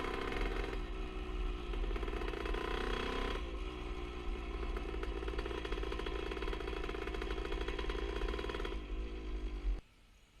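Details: 1977 Honda CR125 Elsinore two-stroke with new HPI ignition: buzzy revving and settling with the odd uneven firing stumble; intermittent stutter, owner suspects an exhaust leak since it ran fine before the leak appeared.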